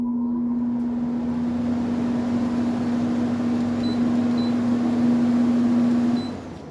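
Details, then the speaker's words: GE/Haier 10,000 BTU R32 window air conditioner with ball-bearing fan motor, fan switched back on: steady smooth hum on one even low tone, no rattle or scrape, winding down at switch-off; normal fan running. "Uh we'll kick it back on so you can hear that fan cuz I really like this fan"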